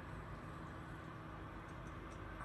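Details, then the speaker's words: Creality Ender 3 with water-cooling kit on the Sprite extruder, printing around the fourth layer, with Noctua part-cooling fan, motherboard fan at full speed and a quiet 5 V USB fan: soft steady low hum, no rattle. Normal running. "you can hear the fans go now which is parts calling fan and also the motherboards fan here going at full speed but overall the printer is very quiet"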